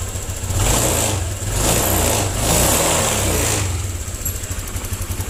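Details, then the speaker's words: 2020 Honda Vario 125 after a throttle-hesitation fix with an ignition-key reset procedure: revs swell cleanly and drop back without stumbling; the throttle responds crisply and pulls smoothly, no longer stuttering as before. "lebih responsif daripada sebelumnya. Tadi sangat tersendat-sendat."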